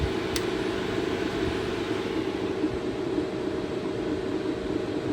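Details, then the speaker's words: 2013 Mercedes A180 W176, M270 1.6 turbo petrol, automatic, after a thermostat housing replacement that didn't fix overheating; steady rushing roar of the cooling fan at high speed as the engine overheats; coolant not circulating, owner suspects the water pump. "But as you can hear, my fan is going off, and that's because the car is starting to overheat, and that coolant is just not circulating."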